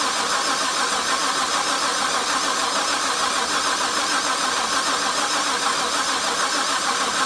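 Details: Harrop supercharged LS1 cranks steadily but never fires. Earlier crank position sensor fault code; new sensor ran it for half an hour, then backfiring and stalling. Likely stale fuel replaced; rail pressure 60 psi while cranking, no check engine light. Cause unconfirmed.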